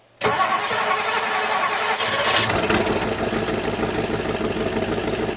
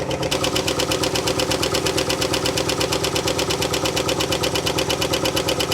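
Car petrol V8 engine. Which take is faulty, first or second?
second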